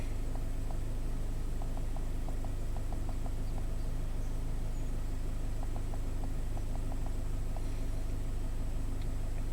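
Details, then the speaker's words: 2015 Scion FR-S (Subaru BRZ), 2.0 L direct-injected boxer, P000A intake cam slow performance; after replacing the oil control solenoids, an even low rumble with light steady ticking and no stumble. Normal idle, cams follow commands, no codes. "So those Chinese solenoids seem to be doing the trick. Rock steady, follows the command, no problem at all."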